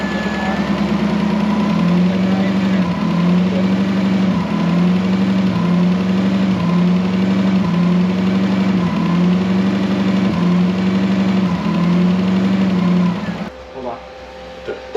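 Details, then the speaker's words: Toyota Celica with a 1UZ V8 on a new ECU, being prepped for drifting: a steady idle breaks up with a regular stumble about every second as revs near 1,300–1,400 RPM, losing signal/voltage and cutting out (cause unconfirmed). "So we were trying to figure out why anytime we would rev it up to about 1,300, 1,400 RPM, it would drop the signal entirely."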